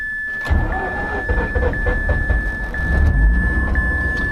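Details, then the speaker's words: 2004 Mazda RX-8 manual, six-port rotary, cold start: steady cranking with uneven skipping low thumps, firing only now and then before it catches; hard starting and misfiring while cranking, won't start hot, not an ignition fault. "so but once it gets there as long as it's cold it'll it'll skip a little bit like that it'll Skip Skip Skip Skip Skip Skip and then it'll catch"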